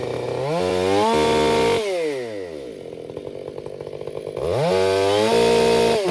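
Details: Krafterized 562XP Mark II chainsaw, warmed up, bucking oak wide open: revs to a clean steady scream sagging slightly in the wood, no four-stroke burble; healthy full-throttle cut.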